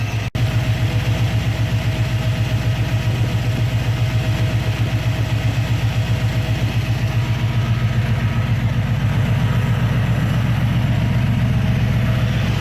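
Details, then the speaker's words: Engine with newly installed Holley carburetor after timing and tuning, at idle: steady, even low rumble with smooth lope of two or three pulses a second, no misses; healthy idle. "all right so she's idling pretty good behind me here"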